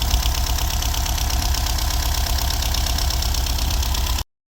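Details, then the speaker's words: VW Golf V Plus 1.4 TSI turbo, first start after timing-chain engine repair and 2–3 years sitting; low lumpy uneven idle about four seconds then cuts out, seems not all cylinders firing, later found loose plugs; rough idle. "okay better sounds like it's not running in Old cylinders yes it's on"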